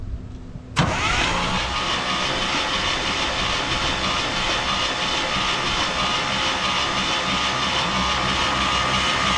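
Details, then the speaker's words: 1968 International 1100C truck, engine from a 1976 Scout II, cranked with spark plugs out to expel Marvel Mystery Oil from cylinders: sharp start then fast even starter spin, no compression beats or firing. "we're going to go ahead and crank it over a few times and uh get some of the the juices out of the engine"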